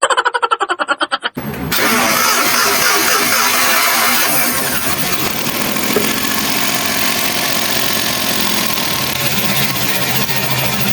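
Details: Suzuki Multicab with a hard-starting complaint: the starter cranks in quick pulses, then the engine catches to a lumpy, uneven idle with stumbling beats, pointing to a misfire at idle.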